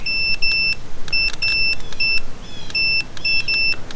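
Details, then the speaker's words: Mercury Force outboard power trim diagnosis, with a test wire between the green and hot leads. The continuity tester beeps in short bursts, cutting in and out as the switch makes and breaks ground: that trim switch circuit works normally. "it's breaking the ground. Okay? So, that works. We know that works."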